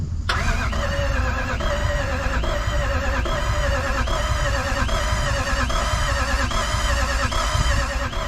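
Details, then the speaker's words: Jeep with Toyota 1VD V8 turbo diesel swap, first start attempt; starter spins engine at even beat about one pulse a second but never fires; no fuel rail pressure, later suction control valve suspected and swapped: crank no start from no fuel pressure. "let's crank it and see if we've got fuel pressure and crank"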